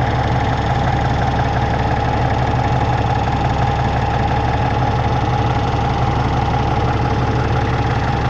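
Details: Peterbilt with an ISX Cummins CM2250, after repairing a front structure oil leak, now not leaking and warming up before an oil change: loud, even diesel clatter at steady idle with a constant low drone and no uneven knocks; healthy.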